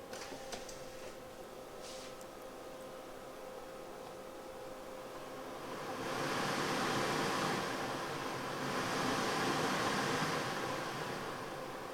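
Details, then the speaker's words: 1990 Mercedes W124 blower motor after removal and lube to cure squeak: soft, steady airy whoosh swelling as fan speeds up, no squeak or rub. Normal blower operation after fix. "And of course it works magnificently."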